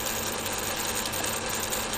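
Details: Rebuilt and upgraded Fukner FU-400 antenna rotator with new wiring and limit switches, rotating past north: steady even gear whirr with a fine ratcheting buzz, no knocks or binding; motor and gearbox turning smoothly.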